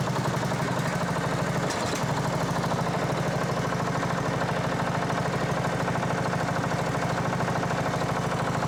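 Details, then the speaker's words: Sabre 1438 riding mower (made by John Deere), first run after new valve, filter, plug and elbow: fast, uneven clatter of about two beats a second over a rough idle; owner suspects a loose flywheel, cause unclear. "It's, yeah, that sounds funky. The flywheel might be loose. I don't know."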